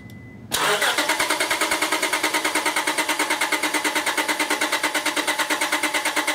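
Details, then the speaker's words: 2001 Honda Accord V6 with an intermittent no-start (ignition switch suspected), PGM-FI main relay unplugged, dead battery at 0.2 V, cranked on a NOCO GB70 jump pack: strong, even starter cranking at about three beats a second, no fire. Cranks but does not start. "going to hit the Boost okay and just going to crank it"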